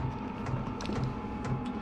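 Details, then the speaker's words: Vevor diesel heater in a cabin mechanical room running on its low setting for less noise and better fuel economy, outlet still about 81–89 by heat gun: steady low fan hum with constant whine, no surging or knocking; normal running. "But, you know, I'm going to keep it fairly low. [Music] Keep it low. Less noise,"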